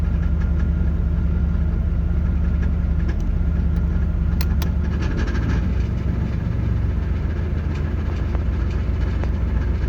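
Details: Rattle near the flexplate on an idling 1989 Pontiac Firebird 5.0L 305 V8: loose, irregular metallic rattle, louder with AC on, changing or vanishing between Park, Reverse, Drive and Neutral; flexplate bolts tight, no visible cracks, slight slip-yoke play, cause unconfirmed.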